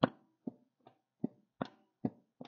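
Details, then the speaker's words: Front wheel grabbed and rocked during a ball joint check, with looseness simulated: seven sharp, dull knocks about three a second; play could come from ball joints, wheel bearings or steering components. "now I'm simulating it the wheel is loose but you get the idea you will hear a knocking noise"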